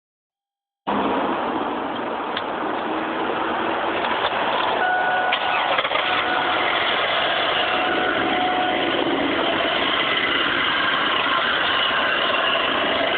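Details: 2002 Pontiac Grand Prix GTP supercharged, just started after a metal knock at shutdown when oil was about 2 quarts low, oil since topped up: steady light tapping at idle, said to go away when revved; cause unknown.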